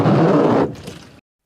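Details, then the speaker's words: Car windshield wiper: rough, juddering scrape and chatter as the blade skips up the glass because the wiper arm is bent, not a worn blade; fix is bending the arm straight. "so if it is bent up as it goes up the windshield it's going to skip causing"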